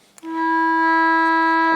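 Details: Restored AWA R7077 beat frequency oscillator, circa 1943, heard through a plugged-in speaker: clean, loud, steady mid-pitched tone comes on sharply and holds without flutter or drop; the output stage works properly.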